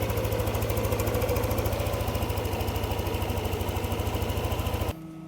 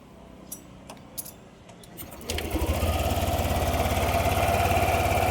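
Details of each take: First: Yamaha NMAX 155 V2 after ECU reprogramming, TPS reset to 0.0 and error codes cleared; previous abnormal idle and sudden stalling fixed. Steady, evenly spaced single-cylinder putter at idle, neither hunting nor dying; idle running properly. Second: Yamaha NMAX 155 V2 with hard starting, low idle and stalling, restarted after refitting the stock idle speed control valve to the throttle body. First start idled normally, second start idle surges up and sags unevenly; idle control valve sticking.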